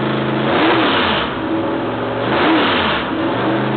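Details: Freshly rebuilt L88 427 Chevy V8 from a '66 Chevy II with a hydraulic roller cam, first start on open headers with no thermostat. Loud, crisp, blipped twice and dropping back cleanly with no misfires or knocks: healthy.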